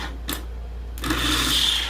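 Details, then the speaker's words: Bench-tested starter from a 96 Chevrolet work truck 4.3L, powered from battery charger on 2 amp setting: spins up freely with smooth steady whir, no grinding or clatter; starter sounds fine. "so starter sounds fine now if it makes a bad grinding sound or shaking all over the place you might want to just get a"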